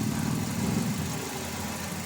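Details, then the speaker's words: Toyota Avanza, four recently replaced spark plugs but misfiring, oil change long overdue with hardened oil: steady idle with low uneven chug and periodic dips; misfire, cause unconfirmed. "Alam, pinalitan ng spark plug to pero may palya oh. Ilan ba yung spark plug yun? Apat. Apat o apat na yan. May palya"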